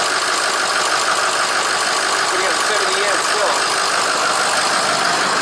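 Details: 2006 Ford F250 PowerStroke diesel at idle after a charging fault fixed with an alternator bypass wire, reading 13.5–13.6 V: even idle with steady hiss, no knocks, misses or surging; engine running normally.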